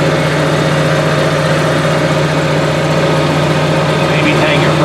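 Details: Onan Marquis 5500 RV generator (1998 Bounder motorhome, 20+ years old, 60 hours) after carburetor rebuild; even steady constant-pitch hum, no misses, surges or knocks; owner says it sounds really good, lots of life left; normal running.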